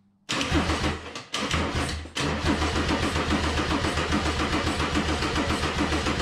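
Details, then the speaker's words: Mercedes 190E (W201) with swapped OM606 diesel, OM603 mechanical fuel pump and Holset turbo, first start: steady starter churning about one beat a second with one short pause and restart, never fires; smoking from the EGR but not starting, battery apparently dies. Cause unconfirmed. "i tried to stay you saw me try to start it it's smoking but it's not starting"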